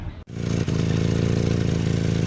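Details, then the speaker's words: Volvo 240 (245 wagon) idling cold and hunting: low pulsing chuff with raspy edge on each firing, exhaust blowing through small rust holes in the silencers; recent and not yet fixed. "Once she's warmed up, she's alright, but you can probably hear the exhaust blow. That's a recent development. I haven't had time to fix it."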